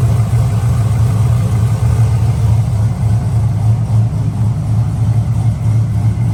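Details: LS V8-swapped Nissan S14 240SX, newly fitted exhaust with silencer: low, throaty idle with slight lope, steady, no tapping or knocking. Normal idle.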